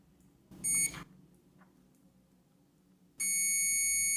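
A quick chirp, then a steady high beep when the probes meet: continuity confirmed, the fuse is good.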